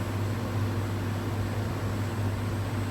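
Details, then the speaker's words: Air conditioner after replacing a faulty condenser fan capacitor, pressure settling around 120-125 psi; low, even compressor hum with soft fan hiss, no knocks or strain; normal compressor operation. "el ruido del compresor es mínimo esto casi no se escucha es muy bajito ya que tiene el ventilador funcionando de forma correcta si el compresor ya no se está esforzando más de lo que debería"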